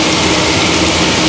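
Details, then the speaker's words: Farmer-built 2.5 kW Pelton-wheel hydro turbine driving an induction motor as generator, after fitting correct-size motor: even steady hum with faint tone under loud water spray, no shaking or surging; now quieter, output up from 2.1 to 2.5 kW. "now it's at 200 500 so yeah I think this is mostly a success we've improved the power and it's running much quieter now that's the key"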